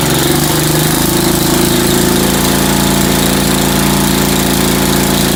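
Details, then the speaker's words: Ford engine after tune-up with low-speed carburetor needle adjusted: loud steady buzzing run at constant speed, no misses or surging; even note, sounds properly tuned. "now I adjusted the low-speed needle so it started sounding much better um it is not running pretty immaculate"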